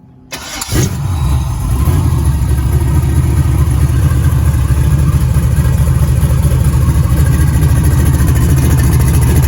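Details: Rebuilt 6.0 LS V8 on a run stand, fed from a 5-gallon bucket with a Silverado fuel pump, running after swapping to an original GM crank sensor: quick crank, strong even rumble, no misfire or knocking; healthy.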